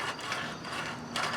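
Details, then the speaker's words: Briggs & Stratton 19.5 hp single-cylinder engine on a Craftsman mower, around 2010, turned slowly by hand gives a loud, uneven crunching, ratcheting scrape; loose flywheel magnets rubbing, later re-glued. Engine also hard to restart hot. "There's a lot of noise in there. Almost like something's rubbing inside. You hear it? Wow, it's really loud."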